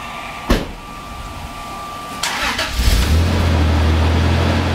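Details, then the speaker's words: 1995 Toyota Tacoma 3.4L 4x4 with 232,000 miles, before repair: the engine starts and settles into a loud, deep, uneven idle rumble. The exhaust is rusted through with a big hole right behind the muffler; exhaust leak. "now we can see this underneath my exhaust is rotten big hole right behind the muffler it's almost completely rusted through so I'll be replacing that today"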